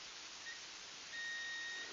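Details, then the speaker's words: Multimeter on continuity setting, probes touched together before testing fuses on a Yamaha DG80-112 guitar amp under repair: a clean steady high beep, the normal continuity tone of a working meter. "all I'm doing is using my my trusty multimeter and I have it on the continuity setting which when you do that you put the two links together is gonna sound like this"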